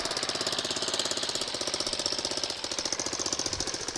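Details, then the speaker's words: Homebuilt reverse-trike scooter small single-cylinder idling after muffler welded back on: quick even putter, exhaust sealed, no misses or knocks, sounds a whole lot better; running to burn off degreaser smoke; healthy idle. "I don't know if y'all can tell a difference on camera that sounds a whole lot better just need to let it sit here and run for a minute"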